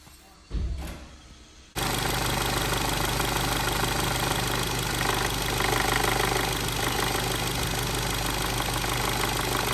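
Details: Volkswagen Polo GTI 1.8 TFSI with codes P0011 and P0341: engine starts and idles with a fast, uneven metallic rattle from a camshaft timing fault; repaired by replacing the camshaft oil control valve and camshaft adjuster magnet.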